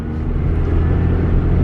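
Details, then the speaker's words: Scion tC after turbo replacement with new metal, cooling and oil lines, barely driven since: steady, even low rumble at idle with no whistle, whine or rattle; sounds healthy; normal engine running. "And even this thing, I mean, absolutely no issues. It sounds so great."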